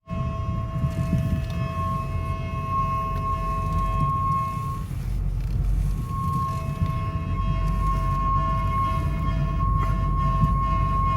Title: Screeching Noise from Left Front Tire When Cutting Wheel Right